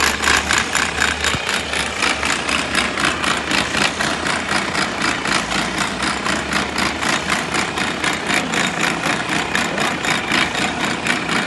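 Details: Mercedes-Benz Arocs truck with MP4 engine at idle: a sharp metallic rattle pulsing about four times a second, an abnormal gearbox noise; cause not identified.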